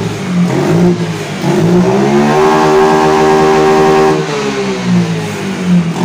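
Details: Yamaha Mio Soul GT scooter that starts but dies when throttled, with no MIL code. After the packing was replaced, the engine picks up smoothly to a clean high rev and settles with no stumbling. It later stalled, and the mechanic traced the fault to the injector.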